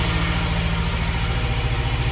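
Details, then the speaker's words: 1971 Fiat 850 Sport Coupe finally starts after distributor and points work, choke pulled out, on old fuel: small petrol engine idles steadily and evenly with no misses or knocks, sounding healthy. "I think we can officially say it's alive! Woohoo! Sounds quite sweet actually, considering how old the fuel is."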